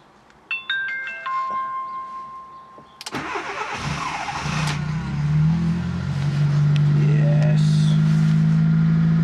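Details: Fiat Panda 4x4 Sisley fuel-injected cold start at about minus two °C, clutch pressed; dash chimes, brief crank, catches at once and settles to even steady idle; normal cold start.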